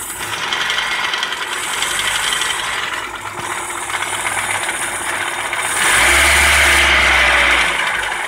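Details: Opel Astra F 1.4 8v Si, C14SE engine: busy rattle of about four knocks a second over the revving engine, louder as revs climb, first suspected as timing or bearings; turned out to be a failed coolant pump, quiet after replacement.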